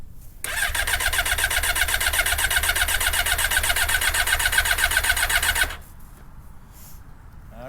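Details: 1992 Yamaha Seca II 600 with lead-acid battery on trickle charger, fully choked, 12°F after sitting a month: steady starter cranking about four pulses a second for five seconds, engine never catches. Cranks, no start.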